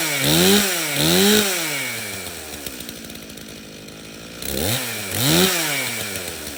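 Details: Stihl chainsaw from a customer's three no-start saws, run on the customer's own fuel, which had some dirt in it: fires, blips up cleanly a few times, then settles to a steady idle. It starts and runs fine.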